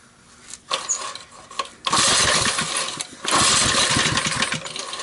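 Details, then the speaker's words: 1971 ARCO mini bike, 3 hp Briggs & Stratton single, oil topped up: pops into life in ragged bursts on a shot of starting fluid and dies away; confirms compression and spark, choke tampered, governor looks messed with. "So not bad for just running on starting fluid. That makes me happy. It tells me that the engine has spark and has potential to run."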